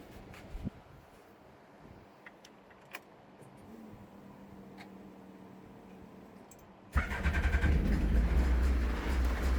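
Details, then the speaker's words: Toy-Busa project car start, checking fuel pressure and watching for leaks: quiet clicks, then engine catches at once and settles into steady even idle with deep exhaust note; normal start and idle. "Alright, so it should fire up now and we'll check the fuel pressure, eh?"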